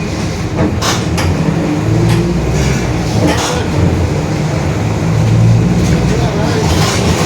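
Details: 2021 Marcopolo Torino S urban bus on Mercedes-Benz OF-1721 BlueTec 5 diesel chassis, extended length, recorded from the cabin: low steady drone that swells and fades with road speed under cabin and road noise, a growling rear differential.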